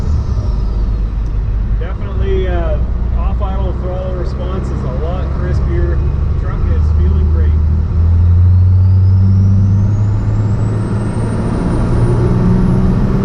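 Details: 12-valve Cummins diesel truck with compound turbos, warmed up, after sealing boost leaks: strong pull taking off in first gear at about five pounds boost, clean rising turbo whistle, no hiss or chuffing; healthy.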